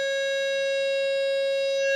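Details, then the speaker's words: 1950 Astor NJ table-top radio being restored, tone generator fed in: loud, steady, pure tone through the speaker without dropouts or crackle; normal audio output. "all right that's nice and loud so cool cool that's working fine"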